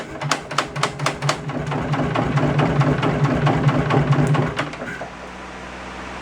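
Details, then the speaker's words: 1970s Wisconsin inline-two generator, abandoned for years: rapid irregular clatter about twice a second while cranking, fading as it spins up; sounds like valves but source unconfirmed. "I don't know what that noise is. That is not concerning at all. Uh, pull the plugs out. Sounds like valves."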